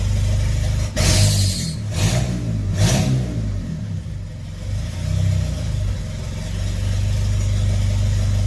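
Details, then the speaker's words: Mitsubishi Eclipse GSX 4G63, first start after starter plate swap, vacuum line plugged: throttle blips then low uneven idle that surges and stumbles, running really rich; owner suspects fuel pressure too high and a possible boost leak. "A little rough idle, but really rich. That's really rich."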